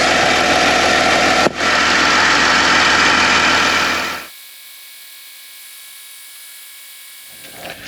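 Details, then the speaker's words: 2008 Mercedes-Benz GL320 CDI with muffler delete, just after radiator repair and coolant reservoir replacement, leak check at idle, not up to temperature: steady, even diesel idle with no knocks, misses or rattles, and no leaks seen; normal idle. "I don't see any leaks in it at idle."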